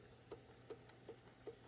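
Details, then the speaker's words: 1983 Realistic SCR-8 boombox cassette deck playing chrome tape. A soft regular thunk about every 0.4 seconds under load over a quiet hiss, from an age-related worn drive gear that needs reproducing or replacing. "you can hear it a little bit once it puts a load on me makes a thunk thunk noise other than that if it wasn't for that this tape deck would be a hundred percent"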